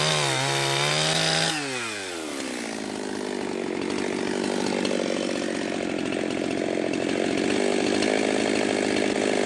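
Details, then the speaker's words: Jonsered 2071 chainsaw on its first wood cut after a piston and crank alignment problem: revs up, then bogs into a steady cutting drone with a rough, burbling note. The owner suspects it is running rich; it is also running hot. "but I mean it does have a weird sound but that could have been just cuz it's rich and I'm not used to you know what a stock muffler sounds like"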